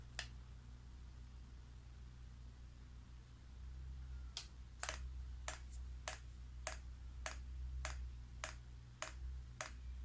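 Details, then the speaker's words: Chinese air diesel heater with Rotary Controller, priming via press-and-hold off button: sharp, even fuel pump clicks about every 0.6 seconds over a low hum, pump only running as fuel level rises in the pipe, normal priming lasting about five minutes. "you can hear that pump clicking now all that's happening is the pump only and priming so you can see the level there it's starting to go up so that's how you prime"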